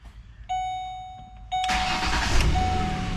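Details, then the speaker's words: 2006 Ford Explorer V6 started after replacing corroded, broken battery terminal connectors: chime, short crank, catches right away and settles into an even idle; healthy start. "There you go. Just like brand new. Just like brand new."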